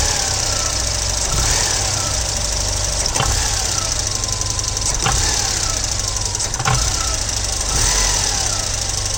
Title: Volvo 940 engine knock on sharp acceleration from idle